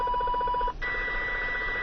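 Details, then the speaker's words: CB radio receiving RF interference from a neighbor's house, strongest on channel 29 with splatter onto 28 and 30: steady pulsing warble about eight beats a second, then constant tone over hiss; source unconfirmed, possibly grow lights. "I'm close to a neighbor's house that's emitting this pretty loud sound a little bleed over onto 28 but it's really originating from 29 Channel 29."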